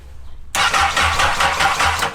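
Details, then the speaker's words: Honda N600 with new CBR1000RR engine, three bad fuses replaced, fuel pump primed: starter spins engine with a steady even churn, never catches; crank no start, no spark, ignition fault. "I don't see anything. So, we have no ignition."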